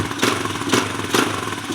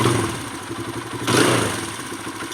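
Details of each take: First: Kawasaki KLX140 that ran lean with a hanging idle, after cleaning the pilot jet and raising the float level, not fully warm: steady idle with even pulses, no stumbling or hunting; normal idle. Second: Kawasaki KLX140 that also has a hanging idle: revs flare then sag on each blip and it stays boggy even after the air screw is turned half a turn in (richer); a lean off-idle bog, the pilot jet is too small.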